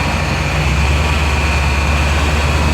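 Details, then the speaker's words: 2000 Chevy Tahoe LT 5.7L after distributor timing set to zero degrees (spec ±2), idle raised to about 1000 rpm: smooth, deep, even drone with no misses or knocks; a normal fast idle after repair. "all right guys this is a final adjustment i'm going to raise the opening at 1000 plus and that camshaft reef are going to stay at zero so here we go that should be a happy uh pcm"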